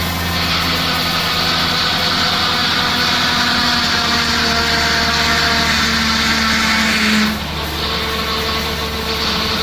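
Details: 2004 Mustang Cobra V8 just revived after CCRM fix: loud high hiss-like whine that cuts back near the end while the steering wheel is worked to burp air from the power steering.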